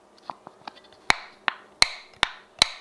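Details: Home-canned jar, lid button top pressed by finger. Sharp, bright clicks one at a time as the button pops back. Lid never sealed. Unsealed canning lid.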